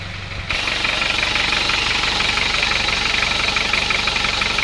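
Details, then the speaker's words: Isuzu Panther 2.3 diesel idle with a sharp, regular clacking about three per second over the rattle. It is diesel knock from low compression, later found to be a loose cylinder liner and badly worn piston rings causing blow-by. "Kalau suara seperti ada ngekleknya ya. Ada klek klek klek itu."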